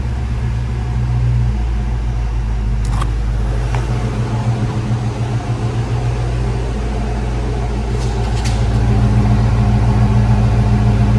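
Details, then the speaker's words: 1995 Ford Mustang GT after fuel pump and/or pressure regulator replacement: smooth, even low idle pulse with steady rhythm, no stumbling or surging, no leaks; normal idle. "No leaks there. It starts up and idles good now. Now let's take it for a drive."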